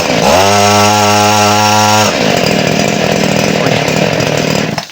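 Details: Small used Robin engine-driven centrifugal water pump, about 1-inch hose, primed after fixing a missing seal and no foot valve: strong, even buzz at high throttle settling to a steady lower drone; pumps water properly.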